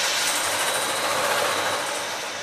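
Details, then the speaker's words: High-pressure pump just after an oil change, run in short bursts to prime it. A steady rough rushing hiss with a rattly edge, and the stainless steel line shakes, easing slightly near the end; the pump is still purging air from the system. "So you can hear that the stainless steel line shaking because it's working all the air out of the system."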